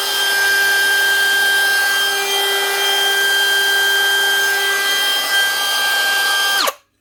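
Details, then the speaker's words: DeWalt DCW600 18V cordless trimmer after bearing replacement (old bearings were too free): even, steady high whine at constant speed, then a clean spin-down with no rumble or grind; normal running after repair. "One Dewalt DCW600 18-volt cordless trimmer with new bearings. Not the easiest thing to do, but it's well worth it compared to buying a new machine."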